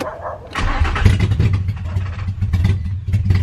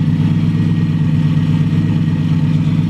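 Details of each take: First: Nissan 350Z on its first start after a new engine and a fresh battery, with the intake not yet fitted: ragged cranking with coughing bursts and no clean catch; abnormal cranking noise with the intake off. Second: Four-door 350Z, first start after a new engine install and fixing a loose injector plug and ground, exhaust not yet fitted: smooth, even idle with a steady low rumble and no stumble or misfire.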